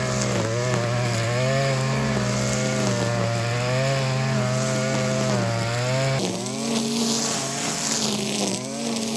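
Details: Stihl FS 56 two-stroke trimmer after seizure repair with a new cylinder and piston, carburettor not adjusted, now warmed up: steady buzzing speed with only slight pitch wander; runs smoothly and healthy, though idle still needs a slight raise.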